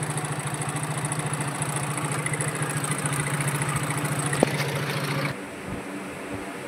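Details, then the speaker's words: Hero Glamour BS4 motorcycle with worn bore, crank noise and smoke from low oil use: idling with a loose, metallic chattering rattle over its beat, loud timing chain noise; full engine rebuild planned. "చూసారా రంగం sound ఎలా వస్తుందో fan sound వస్తుంది sound వస్తుంది timing change sound ఎక్కువగా ఉంది గల గల గల గల"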